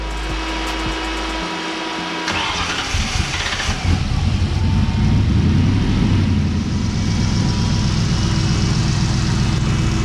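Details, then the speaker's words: Budget 1965 427 Cobra replica with 2003 Mustang GT 4.6 V8 and 5-speed manual, left stranded earlier: after re-priming fuel it cranks, catches, then stumbles at uneven idle and stalls; owner suspects low fuel pressure, fuel pump, priming or pressure regulator, possibly a sensor. "definitely fuel related it could be a sensor but my gut is still telling me that it keeps stalling out because there's not enough fuel pressure"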